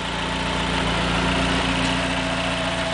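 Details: 1995 Dodge Neon ACR with complete 2004 SRT4 swap (engine, transmission, PCM, fuel system, intercooler): steady, even idle with smooth low hum and no knocks, misses or rattles; healthy idle.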